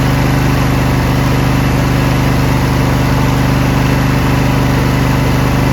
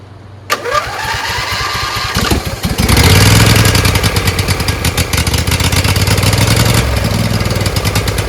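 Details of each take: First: Briggs Intek V-twin on a Craftsman LT1000, after the sump gasket repair and an added governor spring, with fresh SAE 30 oil and no leaks: an even, steady beat at constant speed with no rise and fall. Surging is cured. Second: Briggs Intek V-twin on a Craftsman LT1000, just after a sump gasket repair and engine refit: it cranks, catches, then revs rise and fall unevenly. Owner thinks the homemade governor spring is wrong, since it runs fine when he holds the linkage by hand.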